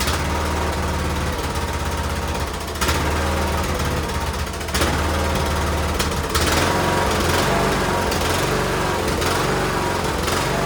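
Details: Cub Cadet LTX1040 riding mower's small petrol engine on a test run after refitting the carburetor to fix a gasket leak at the fuel solenoid; it holds a steady, even drone with only brief pitch shifts and no stumbling, so it runs normally.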